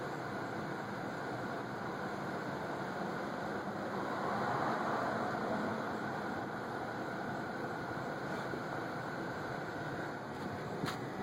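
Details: 1999 Toyota Camry idling in park with AC on: petrol engine idles rough with fan hiss, uneven stumbles and pops under AC load; with AC off, revving bogs down then picks up.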